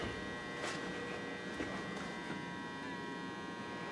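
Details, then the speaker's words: Optoma UHD60 4K DLP projector after the color wheel index mark was reworked and refitted. It works better, but a steady hum with thin high whines shows the color wheel is worn out; a new wheel is needed, and everything else checks okay. "unfortunately it's better but that thing's just whooped"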